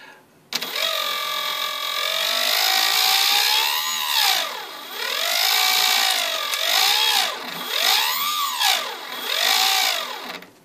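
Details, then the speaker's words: Turnigy SK3 Aerodrive 2836 motor on a HobbyKing SBach model plane, after 16 aerobatic flights with a 12x6 APC propeller at up to 8000 rpm: harsh gritty whine rising and falling with speed, rough at low revs. Once quiet, now very loud; a bearing fault is suspected. "this is not easy I think it is a damage on this bearing you think too the first time that was not and it was low noise and now it is very loud"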